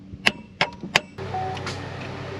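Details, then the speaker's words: 2012 Chevrolet Captiva, no crank no start, new battery fitted: three sharp single clicks about a third of a second apart with no cranking; starter gets power but engine won't turn. "nothing well it sounds like it has power going to the starter cuz you can hear it click"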